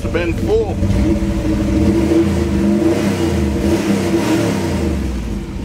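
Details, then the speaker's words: Engine after water was cleared from the exhaust pipes, which had been full; even, low V8 burble with a steady beat and no sputter or gurgle; normal idle. "goodness look at it run now pipes must have"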